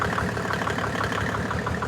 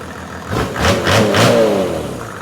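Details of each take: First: Mercedes OM606 diesel, long-stored engine, just fitted with a calibrated 7.7 mm injection pump, hard start: rapid machine-gun-like knocking, about ten raps a second, over an uneven idle; misfire from a sticking injector. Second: OM606 diesel on a test stand after injection pump calibration, following an earlier misfire: two quick clean throttle blips settle back to a calm idle with no stumble or miss; runs healthy.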